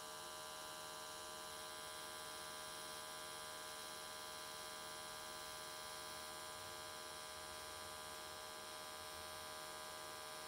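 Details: AC TIG welding aluminium S13 catch cans, vertical welds, after switching to square wave: constant, even buzzing hum, steady pitch, no crackle or sputter, arc definitely more stable than before.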